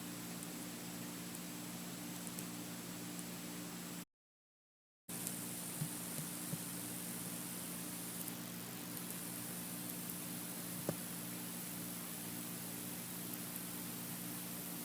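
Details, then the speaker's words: iPhone 6s recorded close up in a quiet room, volume boosted: faint even hiss with thin high tones, no crackle or buzz; normal processor noise that all the compared iPhones make. "as you can see from this test, all the phones make the sound The 7, might sound a little louder than the 6s, but the main basis of this video was to show you guys that all phones make this sound"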